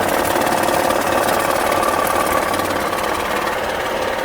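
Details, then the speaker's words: Honda Pilot idling with oil and coolant levels fine; a dull knock about three times a second comes from low in the block. Screwdriver-to-oil-pan check suggests a bearing, likely spun bearings from running low on oil. Engine judged done. "um with a honda because i'm confident it's inside the motor you know like she's spun a bunch of bearings she's had oil leaks and stuff like that"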